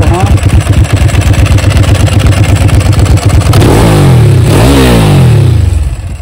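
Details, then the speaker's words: Ducati 999S twin on a road test after recommissioning: crisp even firing at fast idle, then clean rises and falls in revs with no misses or rattles; running better than ever, healthy. "I don't think the bike ever ran that good when 44 tth had it she absolute sweetheart now"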